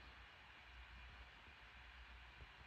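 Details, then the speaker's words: 2021 MacBook Pro 14" M1 Max 32-core GPU, game at 100% GPU load drawing about 55–60 W while plugged in, custom fan curve with the fan at about 5000 rpm: steady, even airy whoosh with no ticking, rattle or pitch wobble; normal fan noise under load. "es it some it's just a steady whoosh as you can hear it's really not annoying but that definitely doesn't run chill and again this is my custom fan curve"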